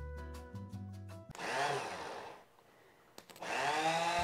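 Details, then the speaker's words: Rebuilt Honda CB350/CB360/CB450 electric starter motor bench-tested off the bike, powered by jumper cables from a small motorcycle battery: two quick bursts of a rising electric whine that spins up fast and evenly with no grinding; starter turns freely. "notice and you can hear that our starter motor spins up fast without any issue"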